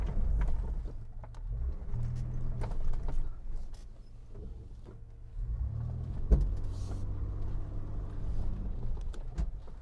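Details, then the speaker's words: 1995 Mitsubishi Montero V43, 3.0 24-valve, lifted, coil-spring suspension, serviced, reversing up an off-road slope under load: a low, steady engine drone with no chassis clunks or knocks, so the drivetrain and chassis are normal under load. "车我们审好了，1年1审，现在底盘没有任何的异响了，发动机也相当安静。"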